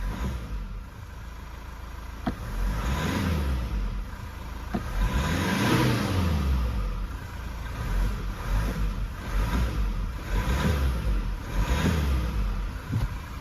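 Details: Mazda 6 diesel, 192,000 km, after throttle body replacement for P2118: revs rise and settle smoothly several times, clean even throttle response with no knock, flutter or hesitation.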